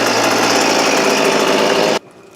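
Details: Hitachi RB24EAB leaf blower after replacing the primer bulb to fix hard starting: a small two-stroke buzzes at a steady high pitch for two seconds, then cuts off; fires and runs cleanly.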